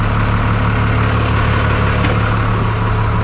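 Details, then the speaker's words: 1991 Freightliner FL70 tow truck, believed 5.9 12-valve Cummins diesel, sat about 15–20 years; started right up: deep even idle rumble, steady beat, no knocks or misses, really good oil pressure; normal idle. "t starts starts right up like a champ"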